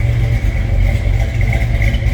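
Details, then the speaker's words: 1968 Plymouth Barracuda hardtop with 727 automatic, not yet warmed up, at cold idle: deep, loud, slightly lumpy burble holding a steady beat; strong, healthy engine sound. "This one will turn some heads with the way it sounds and the way it looks. Wow."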